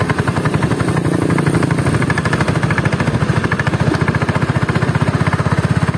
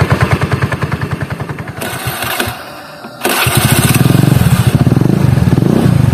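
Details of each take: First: Honda Beat carburetor scooter, CVT parts under two months old in standard use: steady low-speed chatter with a coarse, fast rattle over the engine; very rough CVT noise at low rpm, CVT block disassembled. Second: Honda Beat carburetted scooter after CVT teardown, fixing rough CVT noise at low rpm: starts and revs in smooth waves with no helicopter-like flutter, belt drive now sounds healthy.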